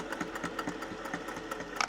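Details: Singer 401A home sewing machine, run for the first time in probably 30 years after cleaning and oiling: light, quick, regular ticking with no knocks or grinding; it runs smoothly.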